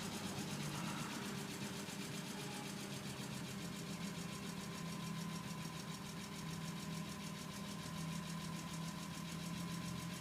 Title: E46 M3 ticking noise valve adjustment